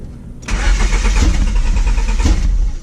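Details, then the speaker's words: 92-96 Honda Prelude with swapped engine, old fuel drained and fresh 91 octane added, rusty ground spots cleaned and tightened: engine catches and runs rough and uneven with stumbling beats; misfire possibly from poor engine grounds. "this thing don't sound good at all before i start it up again i just want to show you i did change a few things uh since the last time uh i have taken care i cleaned up a couple of spots over here that had a little bit of rust on that ground"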